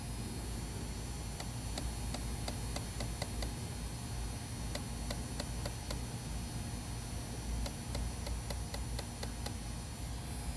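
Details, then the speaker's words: Fuel injector lag-time test on a bench rig at about 45 psi, with pulse width stepped up from 700 microseconds to 2.5 ms: crisp light ticks in uneven clusters over a quiet hiss as it starts trying to open. Normal operation. "There's 1 point. I can start to hear it trying to open. We are at 2.5 milliseconds."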